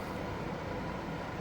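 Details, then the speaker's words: Home AC air handler (Lennox system) blower fan running normally, red status light blinking normal; steady low whooshing hum, no knocks or rattles. Breaker trips only when cool mode engages; later traced to a bad condenser relay. "So at least I hear the blower fan running. That's a positive."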